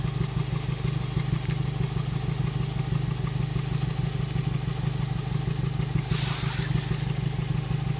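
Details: Honda Civic Si at warm idle: steady, fairly regular puffing pop about three times a second from the exhaust. The engine otherwise runs fine; cause unknown.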